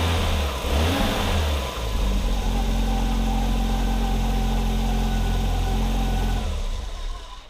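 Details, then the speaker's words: 1987 Audi 5000 CS Quattro turbo with CIS injection, after replacing the fuel injectors: revs up cleanly and settles into an even, steady idle with no stumble or misfire. The earlier stutter in the first 15 seconds is gone; normal running. "i have to say this thing runs a lot smoother and when i turn it on it doesn't do that stuttering in that first 15 seconds"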